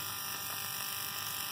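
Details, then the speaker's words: Plugs resting on a grounded bar on a K24-swapped Honda Insight with Speeduino, Ardustim simulating crank/cam triggers at up to 6,000 rpm, 1-3-4-2 firing order: fast, even crackle of plugs firing with no dropouts, ignition sparking normally. "So I got the plugs just sitting on that bar that's grounded, and it's pretty cool."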